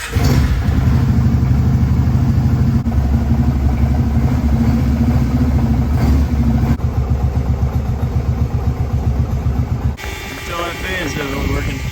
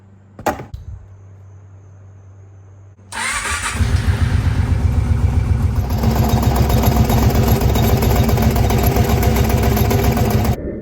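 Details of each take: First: 2002 Kawasaki Prairie 650 4x4 ATV V-twin, run with the radiator cap open to purge air after a coolant fill: steady, even idle with a low rhythmic beat, no knocks, and the cooling fan running; healthy. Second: 2002 Kawasaki Prairie 650 4x4 ATV V-twin after a tune-up (one valve loosened, plugs): starter crank, then a lumpy, uneven idle with fairly regular popping back through the carb. It pops less than before. Intake popping at idle.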